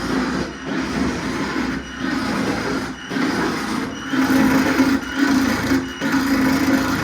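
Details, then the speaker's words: Fuel pump on test, key-on running the low side: a rough, buzzing whirr surging about once a second instead of running smooth; owner suspects the motor's outer shell, held by a set screw, has come loose on the shaft. "And that sounds terrible. That did not sound good at all."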